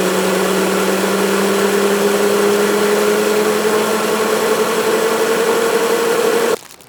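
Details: Micro hydro turbine, resealed and leak-free, feeding an EcoFlow Delta Pro limited to 150 V input, with up to 570 W after nozzle tuning: a steady hum climbs slowly as the runner spins up, smooth with no knocks, then stops. Normal running.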